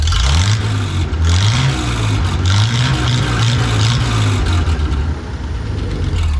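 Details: 1974 Chevy C10 Stepside pickup running with the exhaust removed: loud, raw, choppy low rumble at steady idle with an open, tractor-like bark.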